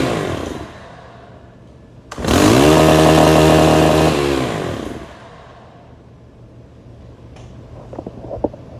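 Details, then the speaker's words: STIHL FS 131 R trimmer, hard to start with no mid-range, choked then revved: rough low burble, a snarling rev about three seconds that sags and dies once throttle is released; air leak, valve cover area oily. "Now you're going to be thinking, well, it's got an air leak. If you assume that, you are absolutely right."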